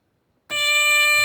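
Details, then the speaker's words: New Holland 900 harvester, newly wired control box, first power-up: silence, then the warning buzzer sounds sharply with a steady high-pitched tone; buzzer working properly. "buzzer works and when you put it in forward you can hear the you can hear the clutch engaging"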